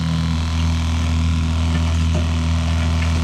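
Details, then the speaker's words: Small one-gallon-per-minute water pump filling a six-gallon RV hot water tank during bench testing: steady even low electric hum, no surging or rattle; pump running normally. "listen to that pump run until this fills up so all right all right"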